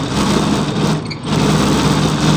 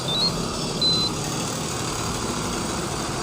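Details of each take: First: Evaporative air cooler fan: loud, rough whirring with one brief dip; the blower wheel's hub slips loose on the motor shaft. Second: Evaporative air cooler fan, motor tested alone without fan blade: steady even hum, no knocking, scraping or rattle, quiet; motor fine, noise likely from worn blade hub on motor shaft.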